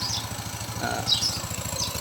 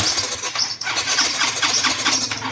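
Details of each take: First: Yamaha Mio 125i scooter, previously hard to start, now starting after a faulty fuel injector was found through pump and injector checks. It idles with a quick, even putter and no misses; sounds healthy. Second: Yamaha Mio 125i fuel-injected scooter: engine churns and catches unevenly with ragged surging, starting and stalling intermittently.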